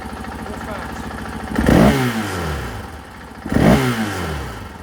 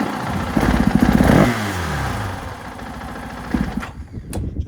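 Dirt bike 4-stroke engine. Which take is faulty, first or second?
second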